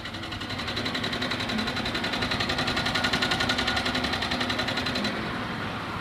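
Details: Chevrolet Niva engine; rapid, even ticking knock about four times a second rides over the idle, a clear engine knock with the source not yet pinned down.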